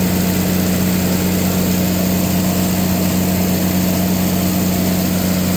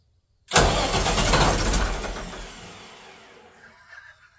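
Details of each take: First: Katolight 110 kVA (110 kW) three-phase diesel genset, run outside after fixing a no-start (auto and manual); steady, even low drone with firm hum, no knocks, misses or surges, came up to temperature: running normally. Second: Katolight 110 kVA diesel genset that wouldn't start in auto or manual, line temporarily hooked up: starter churns about two seconds without catching, then winds down to silence; cranks but no start.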